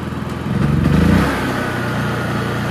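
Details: Honda EU3000is inverter generator after a Nashfuel propane/LP conversion kit install: brief surge as it picks up, then a steady, even hum with no hunting or stumbling; it runs cleanly on gas.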